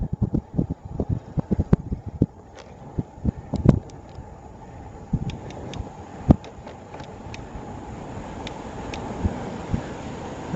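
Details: Performer FWD folding recumbent lowracer: sharp, irregular ticks, a few each second under pedalling load, over wind rush; suspected frame hinge noise even after lubing, but rider now thinks it is something else.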